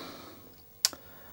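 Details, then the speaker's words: Commodore 1701 PAL CRT monitor (220 V 50 Hz), after replacing all electrolytic capacitors, cleaning and refitting the anode cap, switched on: one sharp snap and a fainter tick, normal healthy high-voltage crackle at power-on. "let's turn it on I hope nothing explodes yeah I can hear high voltage"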